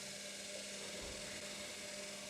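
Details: Washing machine after replacing the drain pump (machine previously would not drain or spin): quiet steady electric hum with even mid tone and light hiss of water as the new pump empties the water properly.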